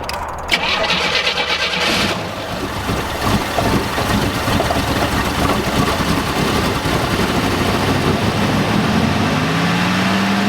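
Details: 1987 Oldsmobile Cutlass G-body, abandoned non-runner: long, steady starter cranking with no firing. It turns over but won't start because no fuel reaches the carburetor. Suspected fuel pump, plugged fuel filter or sticking float.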